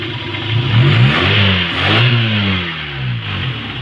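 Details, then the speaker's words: Kia Pride after misfire traced to high tension wire (number four wire carboned with a gap, due for replacement), cleaned with spark plug: engine now revs up and settles cleanly and smoothly, no stumble or miss. "Gwapo na yung andar niya kasi ang problema talaga dito sa high tension wire"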